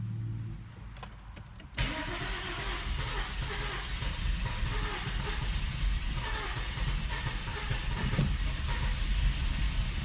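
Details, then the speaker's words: German car that began idling rough; plugs in cylinders 4 and 6 oil-soaked, valve cover gaskets replaced, now won't start; owner suspects bad fuel pump. Even cranking rhythm for several seconds, reaching about 500 rpm, never firing: crank no start. "all right so actually got to about about five hundred rpms there still didn't start so I have no idea"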